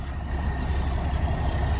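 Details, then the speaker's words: Cummins Big Cam 350 diesel in a project L9000 truck, just started, idling with a deep, even low rumble, steady beat, no knock or misfire; purring and no longer hazing smoke, some air leaks noted. "This Big Cam 350 is purring like a kitten. She's not even hazing anymore."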